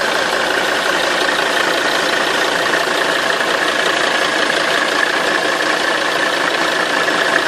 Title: 270 CDI Engine rattling noise